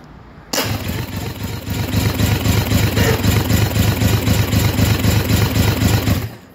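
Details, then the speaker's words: Yamaha 225 outboard bench compression test on jumper-wired battery power: steady, even cranking with no skips. Cylinders checked so far read 110 psi each. Healthy, even compression cranking. "We got 110 on that one also. That's good. And we want one more to check. So far they're all at 110, which is nice to see a nice even."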